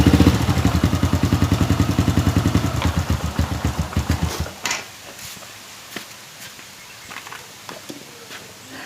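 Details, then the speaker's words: Honda Supra Fit New single-cylinder after replacing the loose cam chain and guide, before topping up the oil: even idle thumping about 3.5 beats a second, no rattle from the left side; the earlier loud clatter is gone. "Lihat, ini sudah berbeda dari sebelumnya, kawan, ya. Sebelumnya, bunyinya berisik sekali. Nah, sekarang sudah diperbaiki, kawan."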